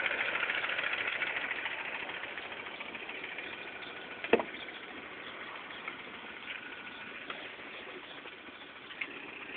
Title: Mini cooper s idle ticking noise.3GP